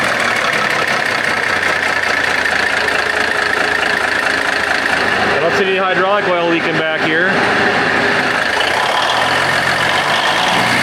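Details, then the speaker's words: Big Bud tractor diesel, first run after restoration work: loud, steady idle with an even low rumble, no knocks or misses; paint burning off turbos, air compressor building pressure; normal idle. "مقدس گائے میں یہ بھی نہیں بتا سکتا کہ یہ چل رہا ہے۔ کیا آپ سنجیدہ ہیں؟ یار، اچھا لگتا ہے۔"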